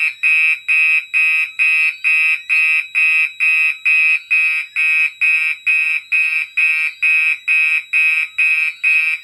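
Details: Mixed Gentex fire alarm system during test with DMP XR-500 panel: loud shrill horn blasts pulse evenly a little over two per second, faint code 3 relay clicking in background; horns sounding properly.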